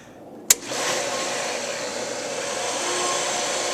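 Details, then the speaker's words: Challenger 1.5 hp pool pump after shaft seal and bearing replacement for a leak: a sharp switch click, then the motor spins up to a smooth, steady whir with no grinding or squeal; pulling water, running healthy. "nothing caught on fire nothing sparked it's always a good sign it's pulling water in that's a good sign"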